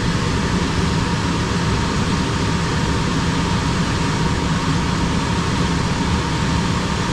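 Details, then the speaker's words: Mobile-home AC outdoor condenser after a low-voltage no-cooling fault was found, with the tech's jumper on the blower relay: steady low hum and even fan rush, no rattles, knocks or squeals; condenser starting and running normally. "Condenser is running."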